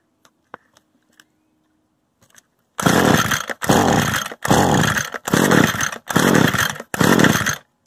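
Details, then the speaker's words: Used Echo gas trimmer, choke on and bulb primed: six even recoil pulls about a second apart with no firing at all, because the stop switch had been left on stop. "You know, I had it on stop this whole time. Now let's see. Guess it helps to check, huh?"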